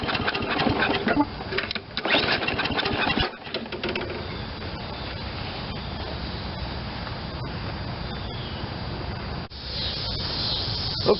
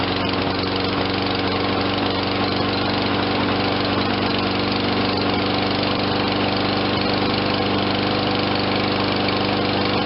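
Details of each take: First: Toro 22" Recycler self-propelled mower, low hours but left sitting too long, cold start on a full tank: pull-cord cranking bursts never catch into a run. Fuel not getting through; the carburetor nozzle was clogged with water. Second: Toro 22-inch Recycler self-propelled mower, 163 cc 7.25 hp, low hours, no-start after sitting; after fresh fuel and carburetor cleaning: runs at steady governed speed, even beat, no misses; normal running.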